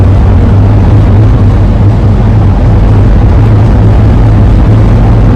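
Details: 2001 Ford van with AA ladder roof rack, relocated but still howling, cruising at speed: steady low droning howl around 100 Hz over road rumble, suspected rack whistling in the wind, not confirmed; wind howl.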